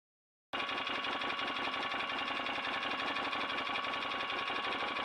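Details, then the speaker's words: 2008 Can-Am Outlander Max XT 500, which overheated, blew the fan fuse and went into limp mode. Aftermarket fan forced on by unplugging, after an earlier rubbing noise was addressed: a steady airy whir with a faint high tone and no scraping. Normal. "Sounds okay now. I mean, the fan sounds odd, but that's probably because it's a aftermarket Chinese, but it seems to be working, so all good."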